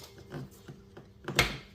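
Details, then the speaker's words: Kia engine crank turned by hand with a ratchet: quiet ratchet clicks, then one sharp metallic clunk as the crank takes up slack at the bottom. Rod knock from a worn connecting rod bearing. "there's our rod knock that's the bottom of the board when the cranks moving into the broad Journal"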